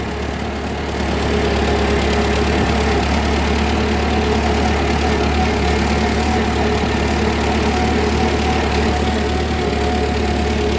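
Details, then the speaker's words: 1940 Ford 9N tractor, old four-cylinder, oil pressure 55, moved into third gear: steady, even low drone holding a constant pull with no misses or knocks. Governor responds nicely, lots of power, no smoke; healthy engine under load. "let's put her in third eh governor responds nicely got lots of power no smoke this thing's a sweetheart"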